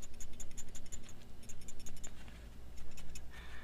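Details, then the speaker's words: GMC Envoy/Chevrolet Trailblazer wheel bearing hub, removed and spun by hand: uneven light ticking under one per second with slight rattle, like loose bearings inside; judged the bad hub, suspected rather than confirmed, both being replaced. "sounds like there's some bearings loose or something inside and it just doesn't sound right so I think I think we isolated that bearing as the bad one"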